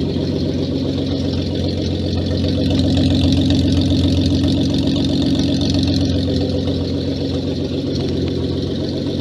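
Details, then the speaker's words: Renault 5 Maxi replica, first start after a year's rebuild, on temporary wiring with open exhaust: loud, raw but steady, even idle with no misses or knocks and no leaks. "Désolé pour le son. Et là je suis en échappement libre. Donc forcément elle fait du bruit hein. Tout est nickel, il n'y a pas de fuite."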